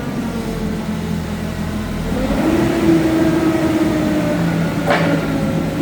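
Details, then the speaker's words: 2008 Mitsubishi Caterpillar 5000 lb dual-fuel forklift, switched from gasoline to propane during pre-delivery inspection: engine revs smoothly and holds a firm, even tone without misses or rattles; sounds strong and healthy. "off. Engine sounds good. Sounds strong."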